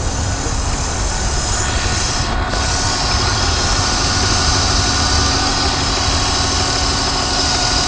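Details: BMW 323Ci manual, 22X,XXX+ miles, sudden onset: steady thin whine over the idling petrol engine, also when revving and driving; at idle it stops when the clutch is pushed in; transmission clanks on gear changes; performance unaffected.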